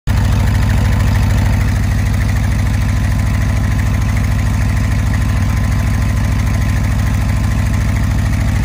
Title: 1967 Ford F600 high idle/cold warm up